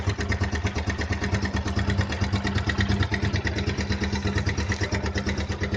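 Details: Suzuki Gixxer 155 single-cylinder motorcycle at idle: fast, steady metallic rattle on top of the idle that keeps pace with the engine; timing chain noise.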